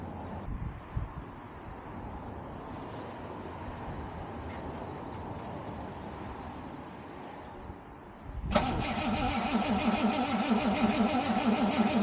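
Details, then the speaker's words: 1979 Ford Capri Mk3 Ghia 3.0, manual, standing about 20 years, fuel fed from a jerry can, carb refitted; steady starter churning about three beats a second, never fires. Cranks but won't start. "I've faffed around with this for quite a long time. didn't want to start, wasn't even offering."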